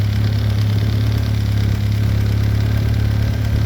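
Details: VW B5 Passat GLS wagon 1.8T turbo four, just after a high-flow exhaust manifold upgrade: low, steady idle thrum with an even rhythm, no ticking, knocking or hunting; healthy.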